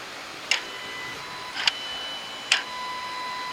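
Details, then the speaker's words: 2015-2019 Hyundai/Kia 2.4 with P200A code, new VCM installed, during scan-tool actuation test after repair: crisp clicks about once a second with no squeaking or grinding, normal actuator operation. "see it's not squeaking it's not making any weird noises it's just actuating which is exactly what we want"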